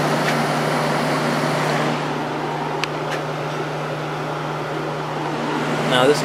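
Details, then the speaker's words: 1989 Whirlpool-made Coolerator 7,000 BTU window AC with Matsushita rotary compressor and Emerson fan motor, after cleaning, fan on high: steady low compressor hum under a smooth rushing fan. Normal; the capacitor still needs replacing. "1.02 yeah so it runs great especially now that it's all cleaned out"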